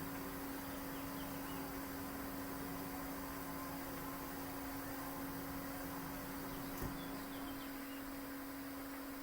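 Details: Hayward pool/spa gas heater after adjusting the old thermostat's calibration screw (previously shut off early at 99°F): steady low burner roar, even hum, no popping or surging, heating to 104°F before shutting off; normal burner operation.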